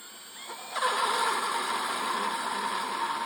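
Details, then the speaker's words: 60-degree countersink bit drilling out Nissan wheel lug-nut seats for Toyota lug nuts on a 1997 Toyota RAV4: a thin, high squealing buzz as the bit chatters from too little push, leaving ridges instead of a true 60-degree seat. "If you don't push on the drill, the bit will chatter and you get these little ridges. It's not 60 degrees."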